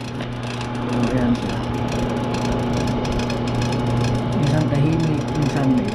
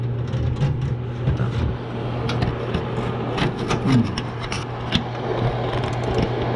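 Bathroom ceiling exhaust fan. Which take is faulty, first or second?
first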